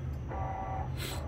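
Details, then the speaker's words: Woodway treadmill after incline calibration (reading -0.1, within ±0.3 tolerance) and power cycle out of maintenance mode: low hum with short motor whirs and brief buzz as incline adjusts several times to find its spot; normal self-adjustment. "uh you can hear the incline just adjusting a bit trying to find its spot so it might do that three or four or five or six times there like i just did then and then it'll find its spot and that'll be fine"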